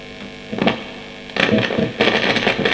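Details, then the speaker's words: Marshall Valvestate S80 guitar amp with intermittent sound after lying unused; scratchy crackling bursts cutting in and out over a low mains hum as the dirty treble pot is turned: dirty potentiometer crackle and dropout. "that pot's so dirty i'm i'm struggling to find a spot on it which works so that's the problem there"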